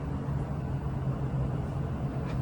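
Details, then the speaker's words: Truck engine idling with a low, smooth, even rumble after a bad exhaust manifold leak was repaired, with no ticking or puffing; whisper quiet, including under load. "And that's how quiet it is now. You can't even hardly hear it. Matter of fact, yeah, it's whisper quiet."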